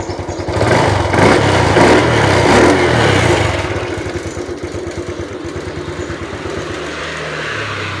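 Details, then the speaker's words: Honda Wave 110i that starts easily and revs but suddenly won't idle: revs up then sags to a low uneven putter; idle screw backed fully out raises nothing. "ที่สำคัญนะครับไม่สามารถปรับรอบเดินเบาได้ด้วยนะครับถึงแม้ว่าเราจะคายสกูปรับรอบเดินเบาออกมาจนสุดแล้วนะครับรถก็ยังไม่มีอาการรอบเครื่องสูงขึ้นแต่อย่างใดนะครับ"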